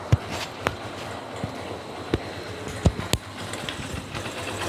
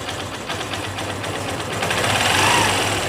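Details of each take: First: Honda Shine BS3 motorcycle with a recently replaced timing chain: light, quick metallic tang-tang ticking at slow idle, worse when the engine overheats; slack timing chain from a weak tensioner. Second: Honda Shine BS3 single after timing chain tensioner pressure increased, following a light chain noise despite a recently replaced chain: runs steadily with a light, even patter and no chain rattle at high or low revs; normal running.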